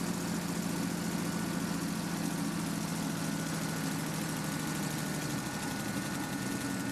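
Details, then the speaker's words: REO M-35 truck started very cold, held just above idle with throttle to warm up: deep steady rumble with slight unevenness and some trouble idling, which is normal cold behaviour. "Now you'll notice that it was having a little trouble idling, but as long as you kept a little bit of throttle to let it warm up, but that's normal."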